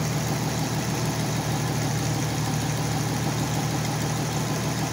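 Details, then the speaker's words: Oliver 880 tractor unrun about 23 years, idling on choke: sharp puffing tick on every firing pulse, steady rhythm; exhaust manifold leak, owner also suspects rusted heat exchanger area or intake manifold gasket, plans new manifolds. "maybe there's a rusted through hole in the heat exchanger area maybe one of the intake manifold gaskets definitely an exhaust manifold this shot"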